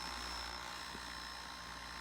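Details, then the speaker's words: Feiyutech G6 Plus gimbal with Canon M50 and 15-45mm kit lens: loud, steady, high-pitched buzz with rapid fine shaking; the motors oscillate because the flipped-out screen throws the balance off; fixed by closing the screen and shifting the camera right. "And no, I'm not recording the footage, maybe I should, but see how fast it's vibrating? You can't even like make out the letters or like the numbers on the screen. It's just shaking, shaking, shaking."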